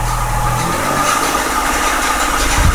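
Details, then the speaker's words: 2004 Mazda6 with swapped 2006 Fusion 3.0 V6 (61k miles), idling after swap: steady run with thin constant whine above the engine note; owner suspects a pulley going out in the accessory drive, hopes it is not engine related. "let's hope it's not engine related at 61,000 no it sounds like a fully"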